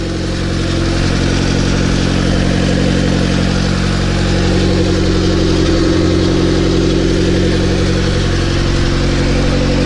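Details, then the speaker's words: Honda EG9 with LS/VTEC swap and turbo kit, stock injectors and ECU, first start after oil priming: lumpy idle about 1100 rpm with quick even popcorn pops from the open exhaust, which they call good compression; no check engine lights. "you guys ever wonder what that popcorn noise is that popcorn noise is the sound of good compression"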